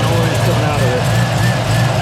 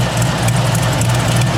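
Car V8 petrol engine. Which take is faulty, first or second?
second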